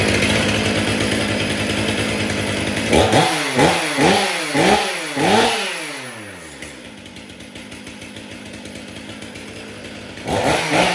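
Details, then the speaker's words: Stihl MS 500i chainsaw brought in for a noise while starting: five quick blips each rev up crisply, then it drops back to a steady idle. It sounds healthy. "Was not here for a running issue, just a noise while trying to start it."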